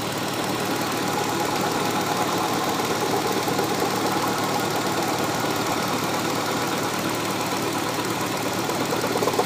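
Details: 2003 Hyundai Tiburon GT V6 idling: regular knock about two a second that grows louder partway through; intermittent, usually lasting a few seconds then going away.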